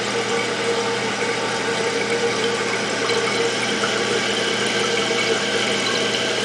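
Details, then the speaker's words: Toilet after replacing the fill valve with a Fluidmaster, tank refilling: steady uninterrupted rushing hiss with no hammering or squeal until float shuts it off; repair successful, fill valve normal. "See, it's going up. Come on, battery, stay in there. Keep going up, should shut off here in a second. And it did."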